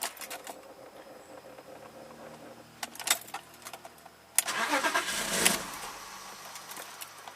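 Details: 1995 BMW 325i, sat four years, cold start: clicks then starts and immediately dies, won't hold idle; owner suspects throttle body vacuum leak or clogged idle control valve; runs only with MAF unplugged and pedal feathered.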